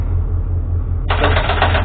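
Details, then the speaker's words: EMD GP35M locomotive no-start: under a low hum, a rapid buzzing chatter under a second as the Gen Start relay telegraphs on starter attempt; batteries read about 60 volts, low voltage suspected. "pump the starter, and we got telegraphing with the Gen Start cert relay. So either we have low voltage or we got something else going on."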